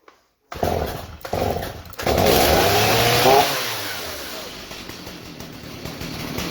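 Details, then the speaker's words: 2003 Stihl MS 290 Farm Boss chainsaw, 56.5cc, reassembled from parts after cleaning the clutch and air housing. Started from the start position: after a few pulls it catches, revs crisply and settles to a steady idle. Normal running. "Put my foot under it. Hopefully it sputters. Sounds good to me."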